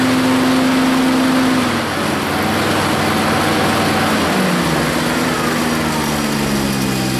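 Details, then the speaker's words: Rebuilt Grasshopper 721 mower, straight three-cylinder Kubota gasoline engine (cleaned carburetor, new fuel pump, plugs, air filter): engine hum drops as blades engage, then recovers and holds evenly; pulls the load fine, though owner says it bogs quickly in tall grass. "this mower has tons of torque but it doesn't have a lot of I don't know how to word it but you get in the Tall Grass it'll bog down kind of quick"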